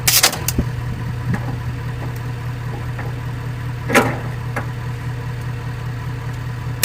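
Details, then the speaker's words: 1985 Ford Bronco V8 left in a pasture, puking coolant from one exhaust; cranked with four spark plugs out, the starter strains slowly and the crank barely moves, hydrolocked with coolant in cylinders. "she's trying to turn a little bit look how much the crank's moving"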